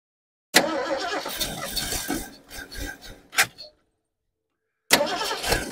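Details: 1972 Ford Ranchero being revived after long storage, with vacuum lines plugged: engine catches with a ragged burst, stumbles about three seconds and dies, then catches again. Owner suspects a vacuum leak and fuel starvation. Cause unconfirmed.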